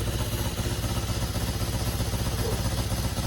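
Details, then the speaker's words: BMW R1100RS after a no-start fault, not run in a long time, fuel pump working, puffed a little smoke on startup, not fully warmed up: steady, even idle thump about four beats per second with no misses or knocks; healthy cold idle. "it did puff out a little bit of smoke but she is running not fully warmed up yet so it's gonna need a little bit more"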